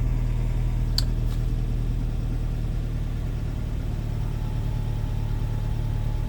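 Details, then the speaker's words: Suzuki SJ80 with 1.6 conversion, 135,000 km, dead cold start: even steady low idle with a smooth rhythm, no misses, knocks or ticking; starts quite nice, engine runs cleanly. "Let's just start it up. Yep, starts quite nice."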